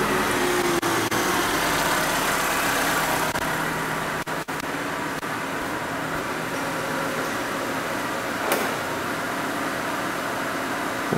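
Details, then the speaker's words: Peugeot 207 Passion at idle after repairing fuel pump supply and engine speed (rpm) sensor fault: low, steady, even idle hum at 920 rpm with no stumbles, knocks or hunting. "a rotação do motor ó veículo em funcionamento em marcha lenta em R lentin né 920 rotações por minuto"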